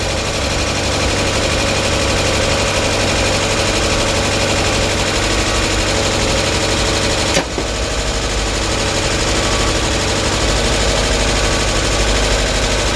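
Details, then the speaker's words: Mk1 Mazda MX5 first start after reassembly and a long sit, exhaust manifold: steady idle with a light quick ticking as oil circulates; small exhaust leak at downpipe joint, none at manifold. "A little bit ticky perhaps, got the oil going around it, hasn't been started for a long while"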